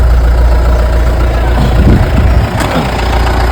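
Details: Mahindra Bolero pickup diesel that would not start while the check light blinked, started after disconnecting the battery for 10–20 seconds: settles into an even low idle rumble with no misfire or knock.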